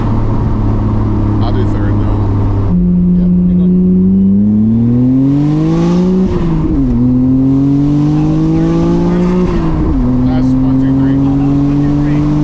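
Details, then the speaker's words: Nissan R32 Skyline GTR after a rebuild, on a third-gear pull during remote tuning: a smooth, clean pull with the engine note climbing steadily and no misses, knocks or flat spots; healthy engine under load. "Yeah, it feels good. It's real fucking smooth."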